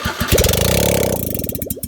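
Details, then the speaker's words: Smart car with exhaust system removed before custom build: harsh raw popping crank and catch, loud open uneven bark at each firing; sounds poor running without exhaust. "it doesn't sound too good i don't know i'm just interested to see what that sounded like"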